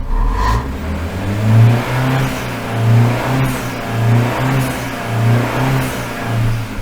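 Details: Engine on a dyno in limp mode after a battery disconnect: low heavy drone that swells and sags about once a second without climbing; suspected the dyno water pumps running created enough load to stop it revving.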